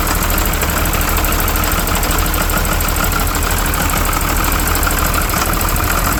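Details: 12-valve Cummins diesel: uneven, lumpy idle with an irregular chug; rough idle, owner suspects the injection pump, not confirmed.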